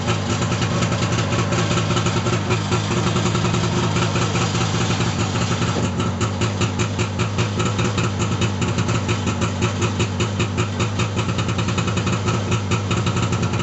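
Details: 1989 Arctic Cat Jag 340 snowmobile, all original, cold start after sitting at least 10 months at −22 °C overnight; steady, even two-stroke burble at idle with a light regular pulse, no knocks or misses; normal idle while warming up.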